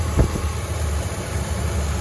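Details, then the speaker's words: 2003 Mitsubishi Montero Limited, said to have a snapped timing belt, ignition coils being unplugged one at a time: low, lumpy idle rumble with a stumble. Unplugging coil six smooths it, coil four nearly stalls it; owner suspects a cylinder-six problem. "okay so that's coil number six it actually smoothed out quite a bit interesting so there's six there's four oh four it wants to die"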